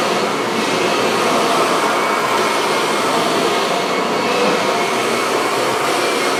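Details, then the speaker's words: Kirby vacuum cleaner assembled from several broken machines: steady, even high-pitched roar with no surging, rattles or catches; the motor runs smoothly and sounds healthy. "so as you guys can hear it runs pretty well there's really no issues"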